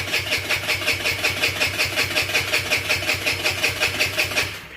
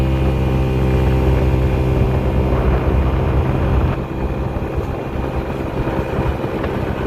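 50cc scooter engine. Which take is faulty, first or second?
first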